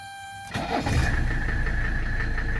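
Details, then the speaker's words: 1985 Mercedes 300SD diesel, ice-cold engine after glow plugs: fires within about half a crank, good oil pressure, then settles into an even, steady clatter with no misses; normal cold start. "fires right up we have good oil pressure it literally takes about half a spin of the engine to fire up"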